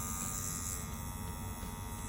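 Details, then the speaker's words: Dragonhawk Atom M5 rotary pen tattoo machine: steady, even, super quiet electric motor hum with no rattle or catching, running smoothly and consistently. "And it's super quiet. There's nothing adverse going on. The machine feels super smooth."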